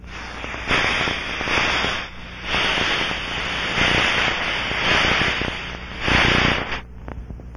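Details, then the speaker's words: Aircraft cabin pressurized by the engines or APU and scanned with an Ultraprobe 2000 ultrasonic detector at maximum sensitivity in fixed band mode: a turbulent rushing hiss swells and fades as the probe sweeps past, pressurized gas escaping from a leak. "scan the area following the characteristic rushing sound"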